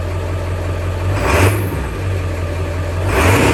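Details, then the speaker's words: Ford Bronco with 7.3 Powerstroke diesel after fitting a Jones Turbine JT50 muffler: deep steady idle with two smooth throttle blips, healthy and well muffled, normal. "i mean it's a big engine it's a loud engine but a lot of the noises come from right up here it's not really that bad"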